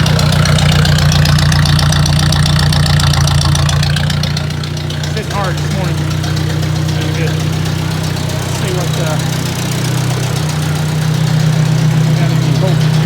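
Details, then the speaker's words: Ford 600 tractor after work on the tractor: deep, steady, even idle with no knocks or misses; sounds healthy. "uh got the old trusty fluke and uh let's listen this baby purr and we'll check make sure we get some output voltage"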